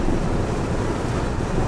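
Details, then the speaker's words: BMW i3 REX on a motorway at 70 to 76 mph, recorded in the cabin. A loud, steady, low rushing roar with no mechanical rhythm: heavy wind buffeting through the open sunroof, likened to aircraft noise. "i'm gonna shut it now it's like an aircraft noise man anyway that was just a bit of a trial to see if you could hear that on this because it does uh come over rather loud"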